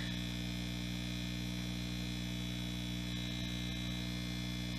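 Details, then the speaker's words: Homebuilt tube guitar amplifier at first power-up: loud steady low hum with evenly spaced tones, unchanged as tubes warm; mains hum, builder suspects output transformer placement and plans 100-ohm resistors from pilot light to chassis. "I hear the hum, I know where it's coming from."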